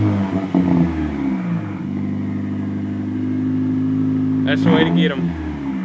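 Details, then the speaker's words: Toyota Tercel with rebuilt 4E-FTE turbo swap, metal head gasket (190 psi compression all cylinders), near 3-inch exhaust with catalytic converter; even, clean rise and fall of engine note, no knocks or rattles, revving freely: normal. "It's got a 4e-fte swap. Got somewhat close to 3-inch tubing all the way back. It's got a catalytic converter and a turbo."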